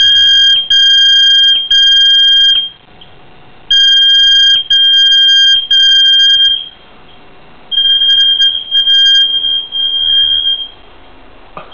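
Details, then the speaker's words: Apartment building fire alarm going off for 30 minutes, recorded inside apartment: piercing high two-tone alarm in short repeated bursts with brief gaps, cycling on and off; fire alarm sounding continuously. "This has been going on for 30 minutes now. This is how loud it is."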